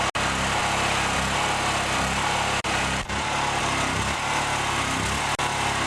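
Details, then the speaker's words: Chinese Honda-clone 6.5 hp generator (4000 W, 3400 W rated), being run dry: steady single-cylinder drone with brief cut-outs a couple of seconds apart as the carburetor runs out of fuel. "and if you remove the plug and it's really really wet it's probably flooded so I'm going to sort it up and let it run dry"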